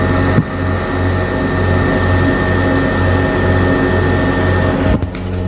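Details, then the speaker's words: Camper van inverter under about 300 W load from an Instant Pot: steady loud whirring rush with a low pulsing drone from its cooling fan, which speeds up under load; noisy inverter fan. "But when she use laptops Or low-wattage electrical appliances The inverter will become very loud"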